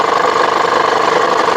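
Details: 2010 Honda Pilot 3.5L V6 VTEC, customer complaint: fast, even ticking over a steady idle, no rev change; source not found yet, drive belt to be removed next to check.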